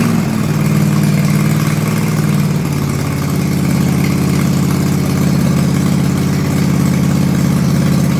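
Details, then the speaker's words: Toro Timecutter Z5020 ride-on mower with a swapped-in eBay replacement engine running with no muffler: loud, raw, blatty idle with a steady low pulse and no damping; normal but loud exhaust. "I'll um fire it up and um show you what it's like it's pretty loud cuz obviously I've got no muffler on"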